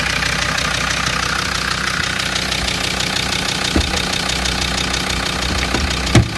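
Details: Land Rover Td5 diesel idling with a busy, uneven clacking rattle over the idle beat; source of the rattle not pinned down.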